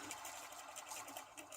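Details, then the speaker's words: 1993 Lexus LS400 with 1UZ-FE V8, serpentine belt removed: the idler pulley spins with a quick, gritty rattle, a noisy worn bearing. "not sure if you can hear it it's noisy"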